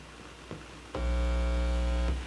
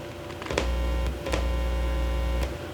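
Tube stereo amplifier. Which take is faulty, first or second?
second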